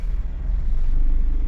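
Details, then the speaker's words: Honda CR-V after fixing fuel pressure problem caused by clogged injectors, temporary battery fitted: engine catches quickly and builds into steady deep rumble with no sputter or hesitation, idles well; normal start. "It runs good. It idle's great and that's all that was wrong with it."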